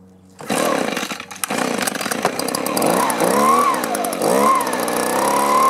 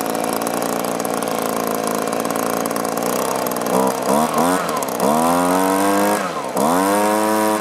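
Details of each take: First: Echo two-stroke blower with an aftermarket carburetor, after a new plug and half choke: catches after a few stutters, then hunts and surges unevenly; fuel starvation, owner suspects a clogged or gummed carburetor. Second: Echo two-stroke blower after fixing fuel tank vent: steady idle then quick clean revs rising and falling without hesitation or bogging; normal running.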